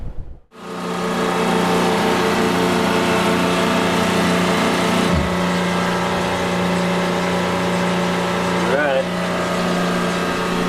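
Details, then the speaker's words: Newly installed Cruise RO water maker on a classic catamaran running from the inverter during commissioning, flushing chemicals from membranes: after startup the pump settles into a steady, even hum of constant pitch, no knocking or surging; running normally, drip-free. "That's the sound of a running Watermaker drip-free running from the inverter."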